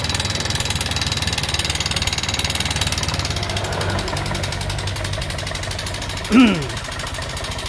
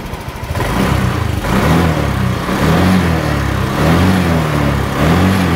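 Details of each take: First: Honda Vario 125 injection scooter before repair, engine sounding rough: clattery idle with fast steady top-end chatter; worn rocker arm bearing. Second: Honda Vario 125 injection scooter after repair, rocker arm (platuk klep) replaced: even putt at idle rising smoothly with light revs and falling back, no top-end clatter; normal running.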